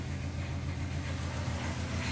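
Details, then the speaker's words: 2001 Honda Accord Coupe, 381,000 miles, cold start: deep, uneven rough idle; it backfires and dies; no check engine codes except an oxygen sensor code, which someone suggested could be the cause; owner can't find the fault. "as you can tell it's running very very [ __ ] rough and honestly I can't figure out what the hell is wrong with it it backfires it dies"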